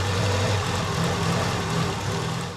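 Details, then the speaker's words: Mk2 Ford Escort with ST170 engine swap, first start, carburettors being colour-tuned, showing blue on the rich side. Steady low idle with a slight uneven beat, smoother than before but still lumpy. Rough rich idle. "So I'd rather be on the rich side of perfect, which it seems like it is."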